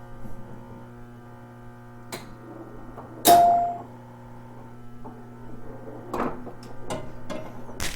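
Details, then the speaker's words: 1974 Bally Delta Queen EM pinball machine during testing, stopped scoring and bonus: steady low mains buzz under clunks and a chime; bonus step-up coil locked on, held energized by a stuck-down switch. "We heard a buzzing noise. So what I did is turn it on, started a game, realize I can feel that buzzing. You don't want any coils locked on."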